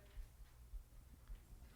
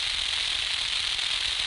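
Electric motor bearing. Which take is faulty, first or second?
second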